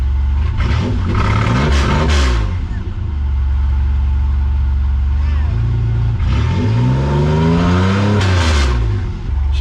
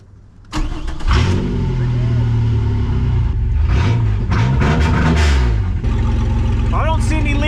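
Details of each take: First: Camaro V6 first start after gas tank refit, exhaust ending after the cat/Y-pipe, no muffler: harsh, loud raspy revving up and dropping to rough idle; open exhaust, oil pressure present. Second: V6 Camaro race-car project, first start after refitting the gas tank and priming the fuel pump, no exhaust past the Y-pipe and cat: cranks, catches quickly and settles into a steady, even idle with no knocks; normal start and idle.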